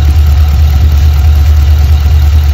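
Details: LS3/L77 V8 in a VF/VE Commodore at idle: uneven, stumbling beat with irregular low thumps, one cylinder misfiring. A spray test shows that cylinder cold, and the cause is a failed injector, as OBD indicated.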